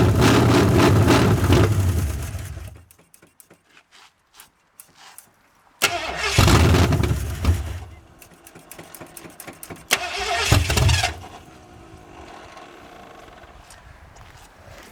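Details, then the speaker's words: 1981 Mustang 5.0 V8, carbureted, parked since 1996: repeated cranking bursts that catch briefly then die, fuel starvation; the fuel pump was found not pulling fuel, its diaphragm likely dried out. "I determined the fuel pump was shot because it wasn't pulling fuel. Yeah, it's also been parked since '96, so diaphragms inside"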